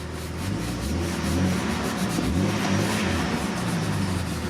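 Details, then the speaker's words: Jeep XJ (Limited), barn find that sat about 4.5 years, running after oil pump replacement and oil pan gasket, warming up with oil pressure now shown: smooth revs climbing and settling, steady tone, no knock or tick; sounds a lot better. "sounds a lot better to"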